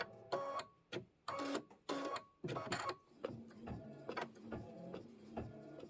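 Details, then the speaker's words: Embroidery machine doing decorative stitching on a Kimberbell Soft Serve block: quick rattling stitch bursts with sharp gaps and a hollow clacky tone; stitching with no thread loaded. "I was across the room and I heard that. I could actually hear that. You know how you can hear it when there's no thread in it?"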